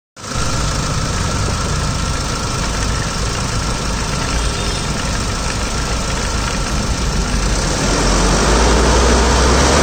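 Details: 2012 Scorpio SLE diesel at idle: a steady low clatter with a regular knock of about three per second over the running sound; abnormal engine noise of unknown cause.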